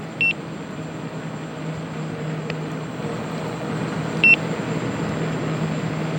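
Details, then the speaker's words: Begode (Gotway) EX-N electric unicycle on full range test, around 70 miles, riding 16–19 mph, voltage 79.5 V under load after rapid drop from 82 V: riding hum with short high double beeps every two seconds, low-battery warning. "see the the voltage is 79.5 volts right now under load 79 votes towards beeping so i [Music] i might not make it home"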